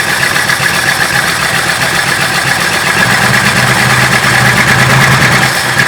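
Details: 1966 Ford Country Sedan 390 FE big block with new cam and used heads, cold, brake booster vacuum leak capped: irregular stumbling idle with dropped pulses, not running on all 8, valves suspected; engine misfire.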